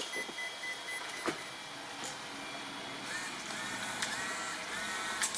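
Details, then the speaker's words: ZD Racing EX07 1/7 scale Hoonigan Mustang RC car, stock steering servo sweeping wheels side to side with faint high-pitched whir in drawn-out bursts; servo too slow for drifting, to be replaced. "so that's pretty damn slow and it makes it really hard to drift and have fun with this car"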